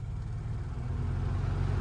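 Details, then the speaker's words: RV roof AC on a Predator 5000 W inverter generator via 30 A plug, after repair: generator hum rises slightly as the compressor starts, holds load without stalling; 13.2 A, no overload light, fan keeps running; normal. "You notice this time there's no overload light. We're drawing 13.2 amps. Also, you hear the fan is still running, right?"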